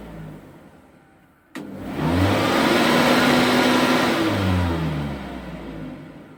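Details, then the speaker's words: Flymo Hover Vac 250 lawnmower test-run after repair of the fault: switch-on click, motor spins up to a smooth steady whir and winds down evenly with no rubbing or rattle; motor healthy. "Shikojmë nëse punon apo jo, po unë besoj se do punoj, se defekti atje ishte."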